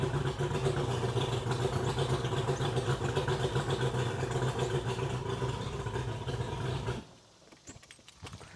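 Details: 2001 Mercury 200 hp EFI outboard on a ProCraft boat, losing power, won't exceed 7 mph, running on the hose: uneven, lumpy beat instead of smooth hum; sounds like it isn't firing on all cylinders, compression test next.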